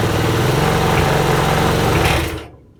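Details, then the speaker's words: Broken eBay lawnmower after freeing a stiff throttle and safety cut-off switch, throttle adjustment still needing a tweak: fast steady buzzing beat of a small single-cylinder engine running evenly, then cutting off and winding down; normal running. "So there we have it. It's a fully working lawnmower, and I still think I need to tweak with the throttle adjustment a bit, but I won't bore you with that."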